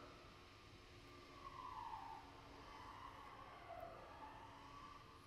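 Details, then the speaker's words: 2021–2023 GM truck/SUV electric parking brake calibration, run from the scan tool with ignition on, engine off and in park: a faint whirring rises and falls as the rear brake motors drive in and out several times, setting the air gap. This is normal. "times all right so you hear it run in and out several times just like it did uh when we did it through the vehicle itself and it's just setting that air gap for the parking brake itself"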